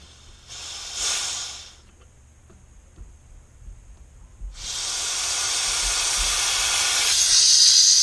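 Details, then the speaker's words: HVAC unit whose thermostat showed no display: a solidly clogged condensate drain line, cut and blown out with high-pressure gas turned down from over 200 psi; a sharp hiss, brief burst, then a long rising blast as the blockage breaks loose. "That broke it loose. Yes, sir. That broke it loose."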